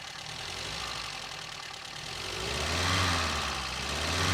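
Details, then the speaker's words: 1953 Sunbeam Alpine Mk 1, restored, microphone in the engine bay: steady, even idle with a smooth low hum, no knocking or ticking from the bottom end. Normal healthy idle. "All right, well that sounds nice. Idle's very steady. Well, that sounds pretty nice. Engine runs sweetly."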